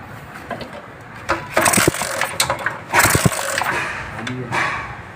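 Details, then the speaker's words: 70cc motorcycle kick-started in bursts that turn the engine over but never fire: no spark, and meter tests found the magnet coil faulty, needing replacement. "नहीं, देखा करंट नहीं आ रहा।"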